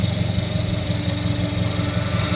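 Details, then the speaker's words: Chevrolet Opala with power steering idling, steering released after being turned fully lock to lock: steady thin whine over the low rumble from the steering pump area despite fluid present; cause unknown. "Aí, ó. O barulho começa de novo, ó. E aí, galera, o que é? Preciso de ajuda."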